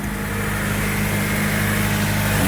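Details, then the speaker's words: 2000 Honda Civic after replacing the rusted, broken resonator (B) pipe with a new one-piece pipe, recorded at the muffler/tailpipe. Smooth, even low drone with steady idle pulse, no puffing, ticking or rasp. Normal exhaust note after repair. "all right bolted everything on now it's time for the test nice and quiet sweet there's the the muffler part"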